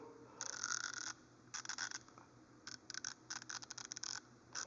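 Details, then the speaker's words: Icon 90-tooth 3/8-drive ratchet, only about a week old: quick bursts of scratchy, uneven dry clicking. Rough ratchet action; the owner suspects it needs lube and may take it apart to lube it. "I may take this apart and lube it up, but it definitely sounds like a little rough."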